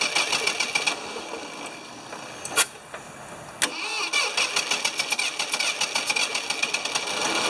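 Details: Ford 2600 tractor with suspected worn rings, oil added to cylinders to help seal, battery recharged: irregular clattering ticks about three or four a second while cranking, never settling into a steady run; hard starting, cause not confirmed.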